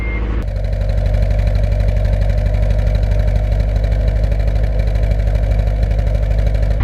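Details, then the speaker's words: Car with a multi-point conversion after warm-up: loud, uneven idle with a lumpy low pulse and irregular stumbles; low-rpm misfire that fades past 2,000 rpm. Owner suspects distributor, ECU or jumper harness; wiring believed good. "the car definitely has a low misfire you can feel it you can hear it and it doesn't really affect the driving once you go past 2k rpm"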